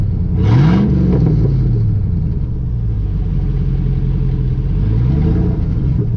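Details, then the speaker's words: Chevy Silverado 5.3 V8, not started in over six months, muffler rusted off, effectively straight-piped: loud deep open rumble that swells sharply on a quick rev then settles; exhaust with muffler missing. "I mean isn't that so weird I mean I come back and it just sounds amazing like this I mean I don't know why the muffler rusted off like that but Wow does that sound good"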